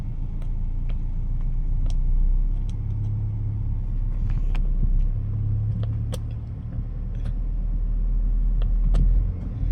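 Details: Mitsubishi New Cedia 4G18 with LPG kit, spark plugs all replaced, driving on petrol: steady low rumble pulling smoothly as revs build, no stumble; normal running on petrol, whereas on gas acceleration is sluggish.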